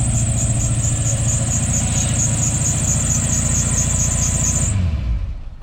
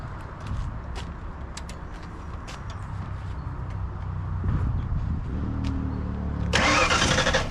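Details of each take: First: 1991 Ford Mustang Fox body barn find after new fuel pump install and more gas added: engine runs with even, steady firing pulses and no misses, then cuts off; sounds healthy, no smoke. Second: 1991 Ford Mustang Fox body barn find, newly installed fuel pump, tank hanging with very little gas: starter churns steadily for several seconds, never catches; crank no start, tank dry, needs more fuel.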